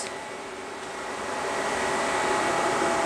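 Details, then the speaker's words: 1996 JDM Honda CR-V RD1 with a K24A3, AWD: both radiator fans forced on through KPro by setting the fan threshold to 50°F (sensor reading 55°F). Steady rushing airflow that swells over a few seconds with no tick or rattle; normal fan operation. "fans are on [Applause] that's both fans on and it is glowing pulling air in through here"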